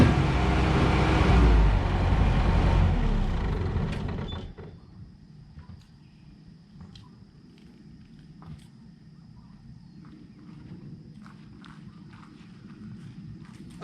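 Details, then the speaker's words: Bobcat 873 skid steer diesel, second try after fitting a new fuel filter: runs loud and rough about four seconds, then falls away and dies, leaving faint ticking; fuel tank suspected full of dirt and debris. "so we're still having the same issue but the skid steer did make it a lot longer before it died so I think we're on the right track"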